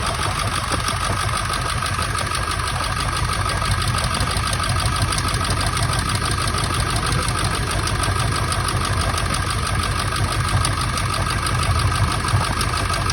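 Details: 1999 Ford F-350 7.3 Powerstroke diesel at idle, still running rough: lumpy stumbling beat about twice a second, one cylinder missing; injector misfire being troubleshot by unplugging injectors and checking oil flow, cause not confirmed.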